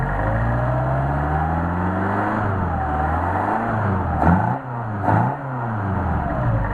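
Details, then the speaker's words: Solex 44PHH carburetors for a Mercedes 190SL on a test run, idle around 800–900 rpm, slowly revved with no load: smooth, clean rise and fall in pitch, no misses. Normal free rev. "I understand there's no load on the engine, so that only tells half the story."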